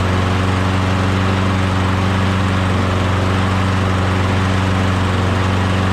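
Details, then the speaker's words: Lawnmower engine, sat in a shed about a year, primed and fresh gas added before a swap onto another mower: starts easy, steady even fast drone, no misses, knocks or surging, normal running. "sounds good starts easy sounds good"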